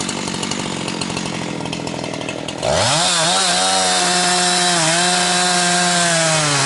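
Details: Husqvarna 362XP Special with wrong ignition coil and Walbro carb, cutting firewood: high scream wavers and dips at limiter and gargles near 11,500–12,000 rpm, barely 10,000–10,500; fine near 9,000 rpm dogged in; four-stroking from rev-limited wrong coil.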